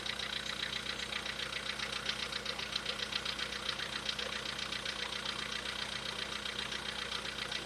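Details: VW Polo Sedan with CFNA engine at idle, before a decarbonizing treatment: fast, even light tapping about 2.5 per second over the idle; internal engine knock, cause suspected, not confirmed.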